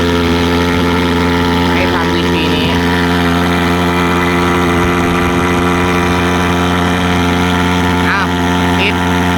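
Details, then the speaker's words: Thermal fogger after cleaning fuel jet clogged by fibres shed from a degraded 95-octane fuel filter, hard starting fixed: steady even drone, constant pitch, no stumbles or surging; starts easier, normal smooth running. "เห็นมั้เห็นมั้ยมันจะง่ายขึ้นกว่าเดิมลมนะครับทีเนี้ยเครื่องเครื่องก็จะนิ่งสตาร์ทง่ายขึ้นกว่าเดิม"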